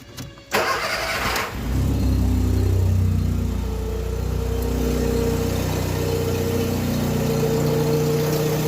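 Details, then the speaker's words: Car idling after a seized-bearing crankshaft-area pulley was replaced (pump wrongly condemned elsewhere): cranks, catches, steady even idle, no squeal or rattle; deeper note from a damaged exhaust. Normal idle after repair. "acabou o problema só o escapamento do meu que tá batida aqui aí faz um barulho mais grave"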